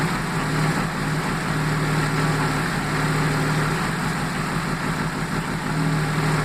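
Steady low idle with an uneven, lumpy beat and irregular stumbles breaking the rhythm, the sign of a misfire at idle.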